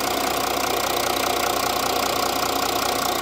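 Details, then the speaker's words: Audi engine, previously suspected of an engine swap after unlocked camshafts were found: a steady metallic rattle at about three beats a second returns after it was absent yesterday through warm-up and test drive; cause unknown. "Probefahrt nix jetzt macht das wieder"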